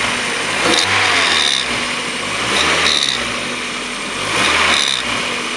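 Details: 1994 Mazda Miata M Edition, 130,000 miles, leaking oil at the rear main seal, recorded in the engine bay: whooshing, rotating whir swelling each time revs drop, from the back intake side of the head; cause unknown, owner now doubts the CAS.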